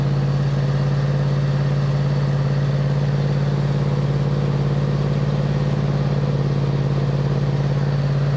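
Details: 2007 MTD/White Outdoors 54-inch zero-turn mower, twin-cylinder, idling after charging-system repair, charging about 13.8–14 V: steady, even idle at about three firing pulses a second, no knocks or misses; normal running.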